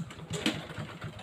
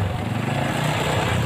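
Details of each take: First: Honda Blade (small-body) motorcycle that suddenly lost compression; kick-start spins freely with fast, light, even thumps and no compression resistance. Mechanic suspects the cam chain has come off. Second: Honda Revo fuel-injected single-cylinder motorcycle after repair of a ticking (ngeletek) noise: smooth, even idle with steady low beat, no ticking or rattle; result is smooth.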